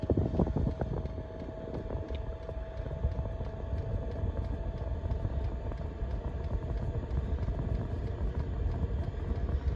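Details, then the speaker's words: Chinese diesel heater, fitted nearly 2 years in a self-converted van, set to level 3 and warming up, microphone close to the floor heating duct (a couple of blades snapped from wear): steady low blower roar with faint regular dosing-pump ticking that fades as it settles; normal. "Now you might be able to hear the ticking noise in the background. That's the pump working, and then what happens, it starts to level out and it starts to go quieter and quieter, the pump, but continue to push out a decent amount of air."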